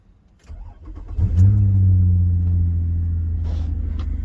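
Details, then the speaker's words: 2005 Nissan Murano towed in with dash lights on; it was starting then stalling. After parts were slid back together, it cranks briefly, catches cleanly, flares once and settles to a smooth, steady idle. Normal start. "voila it runs"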